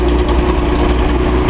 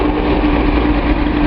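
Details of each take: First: Nissan 280Z L28 six after a misfiring injector was swapped, warming with the radiator still cold: a low steady idle with a faint uneven exhaust burble. Owner is unsure whether it is more than normal. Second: Datsun 280Z L28 six after a bad injector was replaced: a steady, even idle rumble with no skips, so the misfire looks fixed; the engine is still warming and the radiator is cold because the thermostat has not opened.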